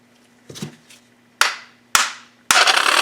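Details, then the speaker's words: 2002 Yamaha Kodiak 400 ATV that won't crank on the button but starts on the pull cord: after the starter is whacked with a hammer, it spins with a harsh, gritty rasp, confirming the starter is bad. "awful gross okay so there we go there's your definitive answer that's why it wasn't cranking cuz the starter is bad"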